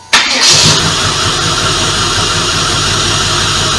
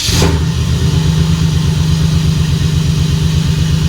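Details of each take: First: Stock 1996 Impala SS LT1 with headers, exhaust and a TorqHead conversion, coils failing one by one, idling: busy idle with an uneven, lumpy low pulse under the clatter and the engine visibly shaking; owner suspects a miss from fuel injectors or coils. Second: 1996 Impala SS with a stock LT1 V8, headers, exhaust and a TorqHead conversion, after tuning and coil replacement. A fresh morning start: brief crank, immediate catch, and a steady even low idle with no misfire. Normal cold start and idle.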